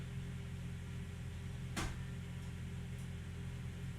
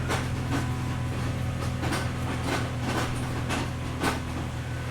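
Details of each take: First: Mercedes ML55 AMG W163 after installing a used transfer case, engine running: single sharp click over a low steady hum as the transfer case shifts from low back into normal range and locks in. Slightly loud; normal shift engagement. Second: Mercedes ML55 AMG W163 before repair, engine running in gear: irregular crunching clunks over a steady low drone. No wheels spin, though they spin in reverse; transfer case confirmed destroyed, later replaced with a used unit. Transfer case grinding.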